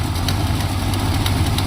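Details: 1972 Plymouth Fury ex-police cruiser, 440 big-block V8, revived after nearly a decade of storage; leaking some oil onto the exhaust. Deep, steady low rumble with an even beat, no knocks or stumbles, smooth idle.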